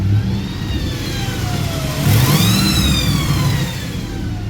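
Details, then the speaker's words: Running 2014 Ford F250 Super Duty at 107,855 miles during pre-purchase inspection, testing AC: thin high whine from under the vehicle rising and falling with revs, source not identified. "testing the AC there's like this whining noise coming from under the vehicle"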